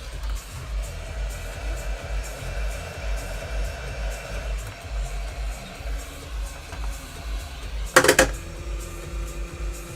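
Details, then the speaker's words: HomePod with "death fart" fault, problem deliberately exaggerated: low steady hum, then one sudden loud pop that cuts off as DC offset hits the woofer; the unit then restarts. "scared the [ __ ] out of me it does every time damn it well there's your death fart that's what it sounds like"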